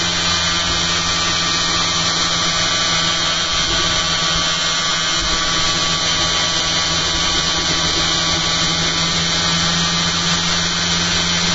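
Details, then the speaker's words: Magnet motor rig with a new eccentric bobbin and magnet holder, 280 mA output into a 6 V load and drawing more current than before: steady high whir with a rough buzzy edge; suspected the bobbin holder magnets aren't set properly, not confirmed. "No, it's not that one. It must be the magnets in the bobbin holder aren't set properly."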